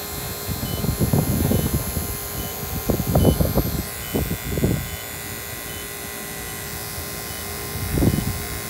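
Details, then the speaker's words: Battery-powered vacuum pump with a check valve, on a refrigeration service call: faint short high chirps repeat about every two-thirds of a second over handling thumps, speeding up like a heartbeat before the alarm grows louder; low-battery warning tone. "stopping get the heartbeat's getting faster hear that and then the alarm gets louder"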